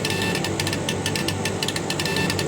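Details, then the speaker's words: Chinese laser etching glass at 40% power, about 60 W, very slow speed: irregular bursts of short ticking pulses over a steady hum as the head scans; normal pulsing. "can you hear the bar of that four and that must be the special mode that I'm in for scanning"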